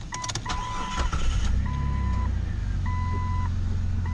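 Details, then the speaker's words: Jeep Cherokee XJ with cooling system upgraded two years earlier, including a replaced electric fan, restarted hot after sitting in the heat at just under 210°F: short crank, quick catch, smooth steady idle over door chime; normal hot start. "Okay, looking good so far. It's not running rough or anything like that."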